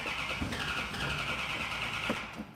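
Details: Car with an Air Grabber: starter churns at an even, quick beat for several seconds without catching, cranking to bring fuel up to the dry carburetors; extended cranking.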